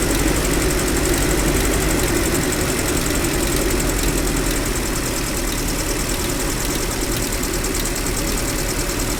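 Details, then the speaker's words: GAZel Business with UMZ-40216 petrol engine after cylinder head replacement for a cracked head: idle with faint, uneven light tapping at intervals as a pushrod head catches the edge of its hole. Fix: grind pushrod. "Когда толкатель полностью опускается, головка толкателя упирается в край отверстия. Это создает тот странный стучащий звук."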